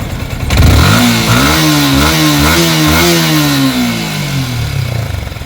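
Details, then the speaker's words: Yamaha Sniper 155 revving with a faint high whistle over the run that appears when the engine is very hot. Cause is suspected dry, rubbing water pump impeller bearing and seal. "Pag mainit na mainit na, basta yun yung pag sobrang init na ng makina natin, maririnig nyo yung nasipol."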